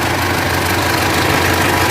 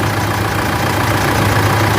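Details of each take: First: Mitsubishi L200 Triton 3.2 diesel, no dash warning lights: dense, busy clatter over a steady idle with no gaps; worn, slack timing chain, to be replaced. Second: Mitsubishi L200 Triton 3.2 diesel after timing chain replacement: steady, even idle with smooth low beat and no rattle from the front of the engine; normal idle.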